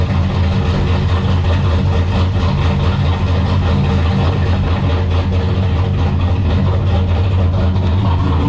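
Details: Drift car's newly assembled replacement engine, started cold just after being pulled into the garage. Loud low lumpy idle, beat uneven and hunting slightly; rough cold idle, cause not identified.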